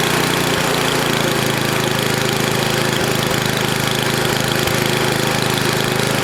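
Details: NOMA 8hp snowblower single-cylinder engine, after clearing a plugged gas line: steady even beat at fast idle, no misses or surging; running okay, warmed up to drain old oil.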